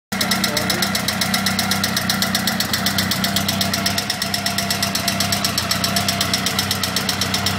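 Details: Honda CBR 1000F SC21 at idle: crisp metallic top-end ticking about four times a second; a cam chain tensioner is suspected to be faulty, and the timing chain itself is stated to be fine.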